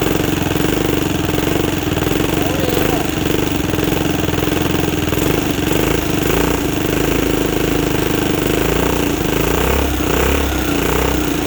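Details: 2006 Zhejiang Kangdi 250cc kart with a big-bore cylinder, first run after teardown with the exhaust refitted: a loud, steady single-cylinder beat holds an even idle without stumbles or metallic knock. Healthy runner that still needs a new clutch.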